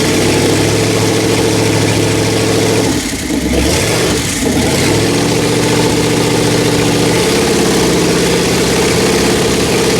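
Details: Rebuilt Pontiac 400 from a 1979 Trans Am on a homemade run stand, re-doing break-in after a flat tappet cam failure: steady fast idle on the fast idle cam with one brief dip and recovery, then even and smooth, no ticking.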